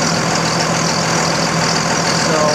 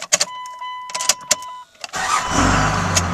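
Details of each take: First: 2000 Dodge Ram 2500 24-valve Cummins turbo diesel after a fuel filter change: a steady, even idle clatter with no stumbles or misses. Fuel pressure is normal and the leak seems fixed. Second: 2000 Dodge Ram 2500 24-valve Cummins turbo diesel just after a fuel filter change: a few clicks, then a rough, uneven clatter that dies. It is starving for fuel and needs more priming of the fuel system or filter.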